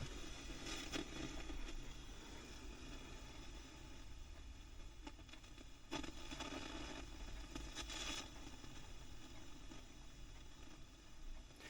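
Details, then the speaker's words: Fifty-year-old Selmer Treble & Bass 50 W SV Reverb valve guitar amp under restoration, brought up on a variac to 280 V plate and 22.4 V bias: low hiss with crackling, sizzling frying bursts; owner suspects a preamp tube. "280 volts now on the plate voltage 22.4 on the bias so that's all looking pretty good but apart from the frying"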